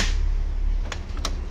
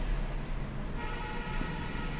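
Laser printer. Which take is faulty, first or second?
first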